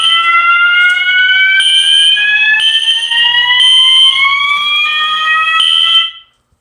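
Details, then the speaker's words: Fire alarm system test: detector tested, sounding the notification appliances. Overlapping electronic sweeps climbing in pitch about every second: alarm sounding normally. "I don't know why, but that sounds so cool. I don't know why. In my opinion, I think it sounds cool."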